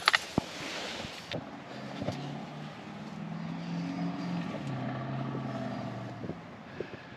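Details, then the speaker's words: 1988 Ford Mustang LX 306 V8, cold, just after a new oxygen sensor: uneven wavering idle with scattered sharp pops and stumbles, popping back through the intake, running rich. Owner suspects a bad coolant temp sensor. "running absolutely crap popping back to the intake like it's just completely blooding out"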